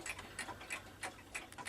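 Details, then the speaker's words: Kieninger Bim Bam mantel clock still working fine: crisp, even ticks about three per second, steady and unhurried in a quiet room; movement running normally. "Still working fine."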